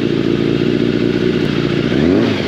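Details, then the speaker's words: Yamaha FZ750 carbureted 20-valve inline four started with no battery using TOPDON JS1200 jump starter in boost mode: catches and runs evenly with a smooth buzz, then a brief clean rev, no misses or rattles; normal start and idle. "voilà bon je pense que c'est quand même assez convaincant y a pas de triche elle est là donc le mode boost tu vois ça permet de démarrer"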